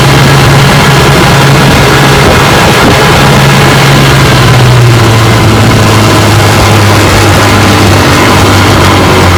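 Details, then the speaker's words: Rebuilt 1959 Evinrude 18 hp fast twin two-stroke outboard, warm after about 15 minutes of running; the cooling problem looks fixed. Loud, steady drone holds an even low note and eases down slightly, no misses or knocks. Normal running. "Looks like the cooling problem's fixed. And then watching the cooling, been running about 15 minutes so far, and she's running good."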